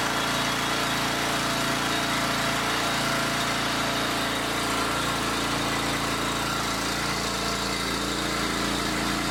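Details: Log splitter small single-cylinder engine, pull-start rope just restrung, started on choke: busy, steady, even buzz with no stumbling; running properly.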